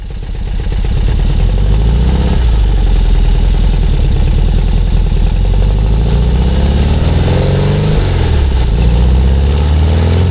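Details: 57-year-old VW Bus with newly fitted Vintage Speed exhaust after the tailpipe fell off, after a cold start, driving on the road. Strong low burble rising and falling smoothly, even firing, running much better, perhaps slightly quieter than standard: healthy.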